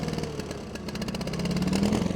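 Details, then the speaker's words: 1987 John Deere 316 garden tractor, single-cylinder engine revved in neutral: pulsing, uneven rise and fall in speed instead of holding steady; unclear whether it is cold or needs a carb clean; engine surging when revved. "let's go ahead and jump up here look at the size neutral get her revved up no she don't like"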